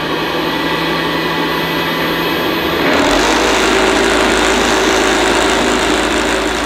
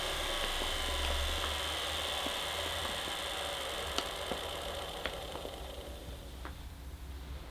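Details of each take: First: 1975 Hoover U4034 Ranger Senior vacuum, first switch-on after purchase: harsh uneven rattle over a high whir; owner suspects much of the rattling comes from the agitator brush roll. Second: 1975 Hoover U4034 Ranger Senior vacuum with the belt released, motor running alone: a steady, even hum with a faint whine and no grinding; the motor is fine, and the noise comes from the agitator, likely very worn bearings.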